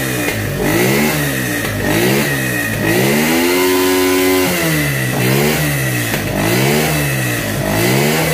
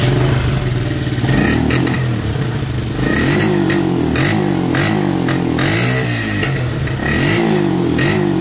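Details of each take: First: Motorcycle that bogged and sometimes died at 6,000–7,000 rpm: after replacing a suspected part, the engine picks up cleanly and revs freely in repeated blips with no stumbling or misfire, a notable improvement; old part to be refitted hot for comparison. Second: Motorcycle with the old ignition coil refitted while hot, for comparison: revs surge unevenly, bog and fade out until it stalls, then it is hard to restart; faulty ignition coil confirmed as the cause.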